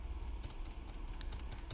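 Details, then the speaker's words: New magnetically stabilized stabilizer design with a thicker stem on a Riskeyboard 70: soft, muted, irregular taps with no rattle or ping; really quiet compared with the original. "well this one's using the new stabilizer's new stabilizer design hear me tapping it it's really quiet right"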